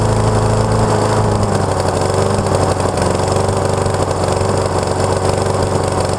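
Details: Neighbor's Honda HRX217 (possibly 270) lawn mower, about 6.5 hp, reported to start, run a second and shut off; after auto-choke work, restarted and warming up. Steady, even single-cylinder drone without misses or surging; running kind of okay, carburetor still to be checked.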